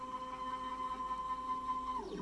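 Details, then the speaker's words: Workbee 1050 CNC Y-axis (24 V supply) moving in the good direction: steady even motor hum, clean tone, quick falling pitch as it stops; grinding in the other direction later cured by oiling the lead screws. "and smooth nice and quiet it's only when I go the other way"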